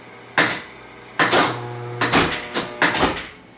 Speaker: You'll hear that click, click, click, click, click, click as it's going through looking for different things to pay out on. And then you hear a real big clunk at the end. That's all of the switches in the back getting reset by big solenoids.